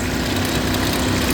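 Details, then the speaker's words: Chevrolet HHR idling: a steady whirring drone with a low hum, which the owner says fades after it has run a while; he is unsure whether it comes from the engine, the taped air intake duct or the fan. "but then I hear it over here but it's it sounds like something's in the fan but then it kind of goes away"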